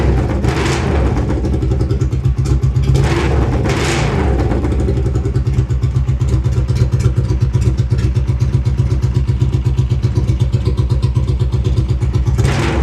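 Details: Honda GL500 V-twin with new custom stepped unequal-length headers, no mufflers: very loud raw bark, heavy low thump every firing pulse and sharp rev blips; fuel leaking; loud exhaust from open headers.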